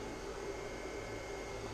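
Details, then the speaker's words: Kodiak portable power station after powering a microwave, reading 187 degrees. Both cooling fans keep running after the microwave was unplugged. Steady, even whir with a faint constant tone. Normal cooling fan run-on. "just notice that the fan still runs after it's powered off sometimes maybe the cool itself the fans still running I just unconnected the microwave and you can hear the fan run both fans apparently"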